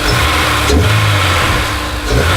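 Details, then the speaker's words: Honda S2000 after a fix (fuel injector suspected earlier), idling at about 2,000 rpm: steady even note, no misses, knocks or hunting. Normal idle. "would you listen to that would you listen to that that is a smooth steady that's 2,000 idle"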